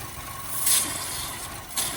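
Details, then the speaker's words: Chevy Sonic/Cruze 1.8L Ecotec running rough with check engine light, suspected lean: at the open dipstick tube, sharp airy hissing surges over quiet idle; strong crankcase suction, owner suspects a vacuum/ventilation fault. "so another thing you can do is you got a dip stick pull it out oh see here we go here we go M on okay ah we got a amazazing that suction you hear that"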